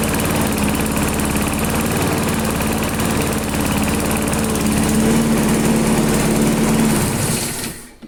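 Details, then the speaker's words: AL-KO Silver 52B self-propelled lawn mower, Briggs and Stratton 675 series engine, air cleaner removed, half throttle, cold start before oil warm-up: steady even single-cylinder chatter with no misses, knocks or surging; normal running. "Yeah, it sounds like it's running just fine."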